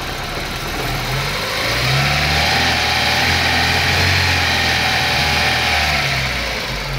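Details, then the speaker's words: Daewoo Nexia after alternator repair and belt re-tensioned: the engine is revved and rises smoothly with no belt or alternator squeal or whine. The charging voltage stays at a normal 14.2 V. "Мінеке бізде 12-де 14-те 2 көрсетіп тұр. Бұл норма өзінің."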